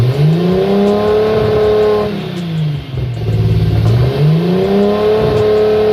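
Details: Nissan RB25 Neo with a high idle problem, during vacuum leak testing; idle speed swings up and down in a slow repeating cycle every two or three seconds, idle hunting, vacuum leak suspected, cause not confirmed.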